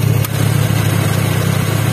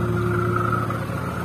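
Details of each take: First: First-generation Honda Brio at idle, AC on after the compressor bearing was replaced: even, steady idle with no roughness, rattle or grinding from the compressor. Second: First-generation Honda Brio at idle with AC switched on: a steady whirring drone with a rough, grating edge from the AC compressor, gone when AC is off; worn compressor pulley bearing.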